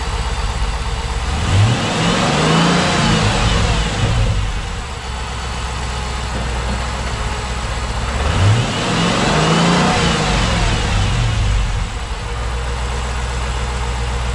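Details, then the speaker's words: 2010 Dodge Challenger SRT8 5.7L V8, first start after installing a Volant cold air intake: two clean rev sweeps back to steady even idle, no misses or knocks; slight backfire on the first start, possibly richer air, otherwise running smooth. "Yeah, that sounded good. I got the little bit of a backfire the first time. I don't know if it's because we got a little bit of richer air going through, but Yeah, sounds good. Seems to be running smooth, so time to get out on the road and give it a test run."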